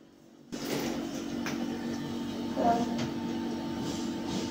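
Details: Window AC fan motor after replacing both jammed, ruined bearings and painting rust: steady even low hum with no grinding or rattle; earlier loud noise gone, cooling normal.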